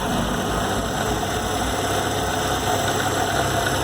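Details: VW Gol G4 Power 1.6 AP engine, lowered, no air conditioning, poly-V accessory belt: at idle a thin steady whirring whine over the engine note at the front; owner suspects the water pump, cause unconfirmed.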